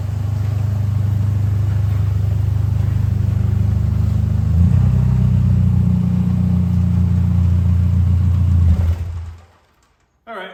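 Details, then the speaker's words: Plymouth/Dodge Spirit, before exhaust repair: loud, deep blatting rumble swelling with throttle then cutting off; owner first suspected a holed muffler, but leak is a rusted-through pipe before the muffler. Exhaust leak from rusted pipe hole. "I'm gonna have a look at what's wrong with the exhaust right now I'm assuming it's a hole in the muffler that's what it sounds like but we'll have a look"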